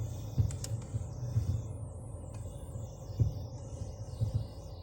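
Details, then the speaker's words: Fiat Argo (same on Mobi/Cronos) at 46,602 km: irregular dull clicks and knocks from the steering column when turning the wheel stationary or slowly, with a jolt and vibration in the steering wheel. "Toda vez que você manobra tanto para esquerda ou para direita da esse estalo chega a dar um tranco no volante e uma vibração"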